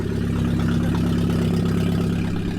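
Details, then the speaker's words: BMW E46 idling with no exhaust system fitted at all: a raw, loud, deep blatting idle with a harsh low rumble and no muffling, described as sounding horrible, like a tractor. "it's got absolutely no exhaust on and it sounds like that it sounds horrible"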